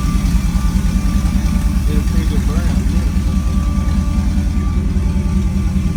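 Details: LS-swapped OBS short-bed truck after a second shop fixed the first swap, with fuel line redone after a gas leak: a deep V8 idle thumping at a steady beat, with music over it; the engine keeps running without dying.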